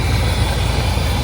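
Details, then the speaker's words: 1984 Chevrolet C30 crew cab dually, 454 big-block V8 with Quadrajet carb, warmed up with choke fully open after idle adjustment: deep, steady even rumble, no misses or rattles; smooth idle near an estimated 1,000 rpm, down from about 2,500. "Listen to that sucker purr. Oh man, I'm so happy about this. It's idling down. It's probably idling at 1,000 RPMs right now."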